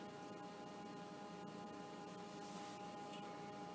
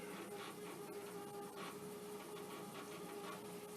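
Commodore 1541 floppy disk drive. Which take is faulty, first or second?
second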